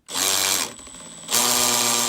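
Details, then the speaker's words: Makita XPH07 brushless 18V hammer drill in hammer mode under pressure: short bursts of high motor whine with fast buzzy rattle, the chuck vibrating along internal grooves and hammering into the material; normal operation. "hear that clicking noise which is actually the chuck vibrating like that and hammering it into the material"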